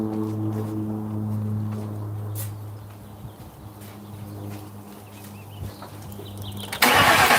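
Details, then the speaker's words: 2005 Crown Victoria police car V8 idling on a hot day after replacing the grounded No. 4 ignition coil and plug that kept blowing fuse 9; low smooth even idle fading under outdoor noise, no misfire, no fuse blowing; normal idle. "Sure we're not blowing fuses, everything looks good, and we'll rev it up, make sure no fucking funny business, and back up to normal."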